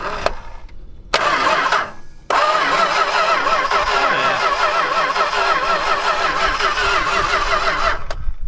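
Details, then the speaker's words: V8 Dodge stepside truck rescued from a crusher, starter jumped at the relay with a knife: cranks at a slightly uneven galloping pace that sags; battery sounds weak; plug wires badly worn; cause not confirmed. "cranks sounds all right. Sounds like it might be kind of galloping a little bit, but also that battery sounds like it's weak."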